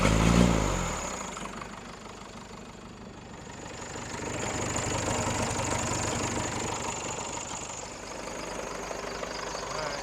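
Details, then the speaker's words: Rebuilt Cummins diesel in a Case 1840 skid steer, just restarted after the injection system was opened. Throttle is held up where the misfire is most noticeable. It runs with an uneven, lumpy beat and a missing stroke. In the balance test, loosening cylinders 1 and 2 barely changed running. "Get this RPM back up to where you can notice the misfire the most. Sorry I didn't get that real great on that cylinder balance test, but what I gathered was when I had the throttle propped open, cylinder 1 and 2, so the front two up there, didn't really change it a whole lot as far as how the engine ran."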